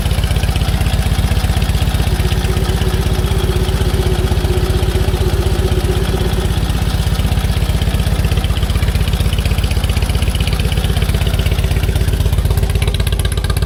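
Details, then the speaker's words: 1946 Indian Chief V-twin, original engine, restored, back running after 12+ years in storage: loud, even thump about four beats a second, steady with no misses or clatter; healthy normal idle. "So I'm gonna have Dad crank it up for you so you guys can see it run again and see how much better it is."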